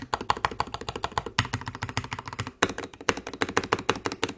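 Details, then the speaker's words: Wooting 60HE with Lekker V1 switches, clear ABS keycaps, KBD Fans case, polycarbonate plate and foam, no brass insert: typing gives bright, high-pitched, pingy clacks with loose rattle; switch stem rattle, wobblier than Lekker V2. "So yeah, it's a lot more high pitched, a lot more pingy. You can just hear the rattle. You can literally just hear the stems being way more wobbly than the lekker V2s."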